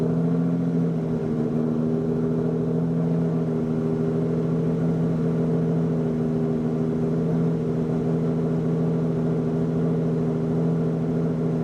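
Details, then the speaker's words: Lamborghini Diablo VT V12, a garage find, idling after it kicked right over: a smooth, steady hum with a slight rise early on, no knocks or misses; an even, healthy idle. "holy moly that kicked right over that sounds awesome"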